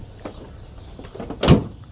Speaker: no more popping noise and the tailgate is much easier to lift now